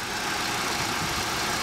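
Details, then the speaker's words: 2012 Honda Civic idling just after an oil change to Shell Rotella Gas Truck oil; steady, smooth idle with no knocks, ticks or misses. "If you guys hear it, it's just running perfectly smooth."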